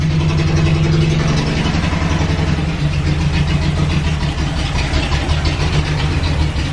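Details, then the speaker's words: Datsun 280Z started with fuel pump relay bypassed by hot-wiring pump and fuel filter missing: strong, steady low engine rumble settling into an even idle, no knocks or misses; runs, relay and filter to be replaced. "I'm just gonna have to order a relay and a fuel filler and a bunch of other [ __ ] but at least we know it runs"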